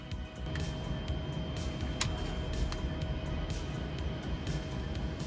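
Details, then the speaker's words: Original Xbox after replacing main cooling fan whose bearings were shot; soft steady whir with faint constant tone, no rattle, scrape or pulsing; pretty quiet, normal running. "That is pretty quiet, isn't it?"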